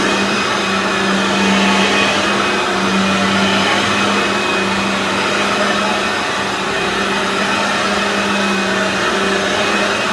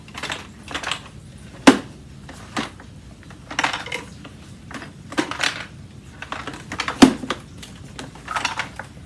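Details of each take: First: Aeros U162C upright vacuum cleaner on its first test after unboxing. Steady, even motor drone with a constant low hum and airy rush, no surging or rattle: the vacuum motor runs normally. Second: Aeros upright vacuum cleaner, model U162C, being moved during unboxing: irregular light clicks and ticks in short bursts from a loose broken plastic piece and its screw rattling inside the unit.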